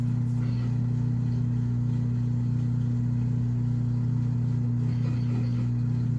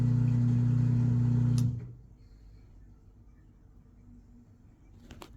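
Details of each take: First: Washing machine on spin cycle under repair: drain pump now switches on and pumps out, though the drum still does not spin; steady low electric hum, even tone; normal drain pump operation, previously the pump would not come on. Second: Washing machine on spin cycle after flipping electrical and ground wires: brief steady hum of drain pump now running, then cuts off, drum not spinning; it keeps going back and starting over, cause not yet found.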